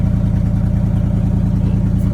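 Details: 1979 Chevrolet C30 after Rochester Quadrajet carburetor rebuild: firm, even idle pulses with steady rhythm, no misfire or stumble; sounds good overall.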